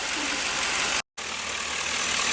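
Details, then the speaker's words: LS-swapped V8 after the misfire fix, just cranked up, before warm-up: smooth, even idle with steady firing and no skipped beats, running clean on all cylinders; power steering may need fluid. "But it's not missing no more. That's good."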